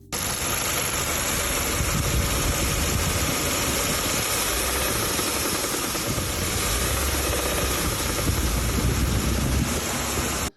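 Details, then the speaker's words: 2015 Kia Optima petrol GDI engine that sounds like it blew, at idle: fast steady ticking, attributed to the GDI high-pressure fuel pump system, with a fainter deeper knock underneath; engine knock suspected. "so as you guys can see in the video you can hear ticking and knocking so just a quick little tip ticking is from the gdi system"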